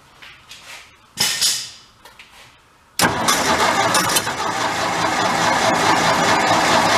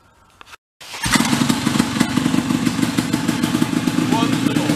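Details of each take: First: Vintage air compressor's small engine that stalled when building pressure, test run after tightening the governor adjustment onto the diaphragm: fires after a few weak pulls, then settles into a steady, busy run with no surging or runaway; governor test run. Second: Vintage big air compressor's small engine, previously stalling under load, after repair: settles into even, steady putter about four beats a second, no hunting or stalling; running right.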